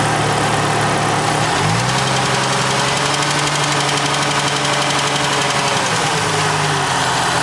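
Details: Jeep Cherokee XJ 4.0, 200,000 miles, head overhauled 40,000 miles ago: fast light tick only around 1500-2000 rpm, cold and warm, seemingly from the right side, not the lifters; manifold gaskets replaced, exhaust manifold leak-free; cause unknown.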